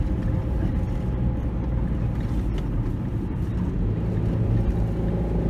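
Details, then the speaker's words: 2004 Chevy Cavalier, 2.2L Ecotec, driving under acceleration with codes P0300 and P0171: a deep, uneven rumble that never rises in pitch as the RPM drops and the engine nearly stalls, bogging as if on two or three cylinders. "accelerate just like it's bogging down so the RPMs just plummet almost installing when it comes back up and cars running the real rough right now acts like it's running on two or three cylinders"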